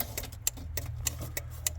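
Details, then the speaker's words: Old rusty Suzuki Vitara/Geo Tracker, 4WD, 5-speed: sharp, even clicks about every 0.3 seconds over a low hum, like a relay cycling; a car alarm is suspected of causing the clicking and the engine shutting off. "Oh, there's something ain't right here. Oh, I despise electrical issues. Hear that? I don't know what that is."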